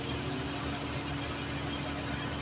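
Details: Mercury Grand Marquis with a reported rattle like two metal plates knocking, which the owner thought was suspension; steady even idle with a smooth low exhaust note and no tapping on the pipe, after the fix at the exhaust manifold; normal idle.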